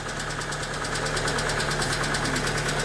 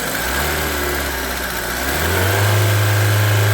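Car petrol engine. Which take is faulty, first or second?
first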